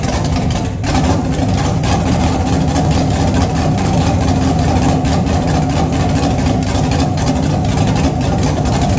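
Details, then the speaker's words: 6.2L LS V8 on first run with open headers and no cooling system yet, replacing a 406 SBC with an out-of-balance crank: steady, even, deep idle with no knocks or misses and good oil pressure; normal idle. "That runs cool. Got pressure too. Nice. Fire right up. Don't sound as good as my 406, that's for sure."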